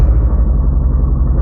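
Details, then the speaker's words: Renault Clio 182 with about 139,000 miles, freshly started at idle with the battery light on: a loud, rhythmic puffing rattle and low chuff from a very big exhaust leak. The engine also hesitates slightly. "we've got a very big exhaust leak that sort of rhythmic rattling you can hear is the uh the oil is okay though that's good"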